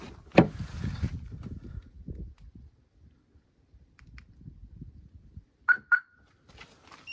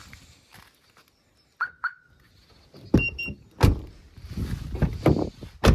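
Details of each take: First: Jeep Grand Cherokee 2.7 CRD after flood, driver door stuck locked, relay contact resoldered: handling noise then two short clear chirps as doors lock; central locking and alarm working normally. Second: Jeep Grand Cherokee 2.7 CRD, driver's door won't unlock after broken wire repaired: other locks whir and clunk but driver's door stays silent; relay faulty, needs replacing.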